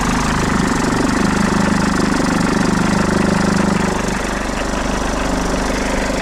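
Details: 2008 Mercedes E220d diesel after oil service, idling: rapid uneven flutter and clatter over the engine note for a few seconds as a failed alternator pulley makes the tensioner flap; fix is a new alternator pulley and belt.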